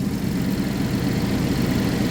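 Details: 2011 GMC Terrain, recurring P0341 cam code after new phaser solenoids and cam sensors; sputters once hot; next step may be checking reluctor, cam, chain. Cold idle: even, smooth unbroken beat, no misses or knocks; normal.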